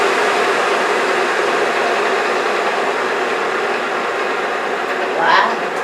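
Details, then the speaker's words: J44 small turbojet motored over on its starter after the accessory drive was restored and reinstalled; a steady, even rushing spin with no surging or scraping, plus a slight rattle believed to be a bearing that was heard before, normal motoring. "what pretty smooth i think you could stop that from hurting okay good got a little bit of a like the rattling yeah that's i think that's the bearing it always made a little bit of noise but that's okay"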